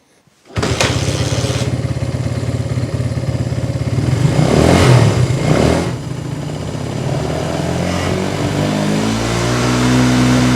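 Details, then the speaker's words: 1980s Italjet Skipper 125cc motorbike after fix, run with the sealed tank cap removed: starts first try, settles into a steady, even putter with one brief blip; running fine. "Well, that seems to be working just fine."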